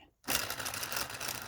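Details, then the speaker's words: Small 3D-printed "Telboy" solenoid motor with thin wire and small magnets on a JL94 circuit at high voltage; the circuit handles it, but the magnets keep popping off. Quick, uneven clattering ticks as it kicks in and struggles to keep running. "yeah you can hear it it it wants to go it kicks in and it goes"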